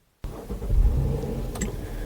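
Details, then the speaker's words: 2016 Honda Pilot with P2638 torque management code and check engine light: engine starts and settles into a steady, even idle, no knocks or misses, no dash lights at this moment; code remains, fault unresolved. "so as you can see the engine is running there are no lights on on the dash"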